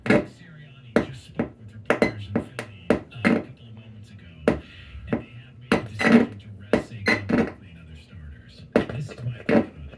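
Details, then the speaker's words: Crackling in the audio of a German-market Jmperial tube stereo set, appearing after it runs a while, possibly worse on a cooler day: irregular sharp pops and crackles over faint background audio, steady and persistent; cause not yet confirmed. "it was making a staticky noise, so I'm going to let it run and see if the problem presents itself. Okay, here's what it's doing. You hear that crackling noise?"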